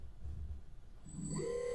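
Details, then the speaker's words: Underwater ROV thruster motor tested out of water after uploading Stage 2 control code; quiet hum, then a clean motor whine rising in pitch and settling into a smooth steady tone, sounding fantastic; normal thruster motor run. "oh I don't you can hear that but it sounds fantastic"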